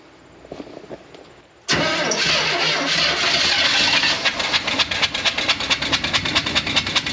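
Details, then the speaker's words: 1980 GMC P15 step van revived from a tow yard, running with one spark plug out (on five cylinders): lumpy idle shaking the whole truck, with a sharp puffing beat as compression blows out the open plug hole. "it's running that runs on five yeah and it's shaking the whole truck the whole truck but it ran oh it stinks"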